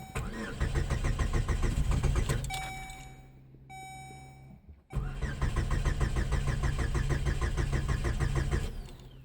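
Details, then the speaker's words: 17-year-old car that sat for years, with mice-chewed wiring to the ignition lock cylinder theft system: after a battery charge it starts, runs about two seconds and dies with chimes and the theft light flashing; the anti-theft immobilizer cuts the engine. "The theft light is flashing, so I'm going to try to do the relearn procedure"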